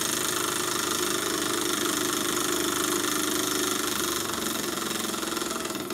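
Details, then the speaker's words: Burnac Vulcan model steam engine on live steam, methylated-spirits burner, boiler half full, engine freshly oiled: quick, even, steady chuffing and a smooth run, though a problem still needs addressing. "I'm going to stop talking now to let you hear the sound of the engine"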